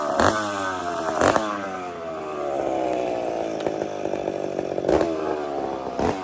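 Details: McCulloch two-stroke chainsaw after starting trick, warming up: buzz wandering up and down with handling clatters, blowing smoke as it warms; runs steadily, normal warm-up running.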